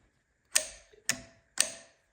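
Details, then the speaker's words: XL80s with the head pulled, engine turned over by hand: sharp dry metallic clicks about every half second from low in the engine, behind a part that still spins with it. Source unknown. "All the clicking is coming from down here. Whatever's clicking is clicking behind this guy, but he's still spinning with it."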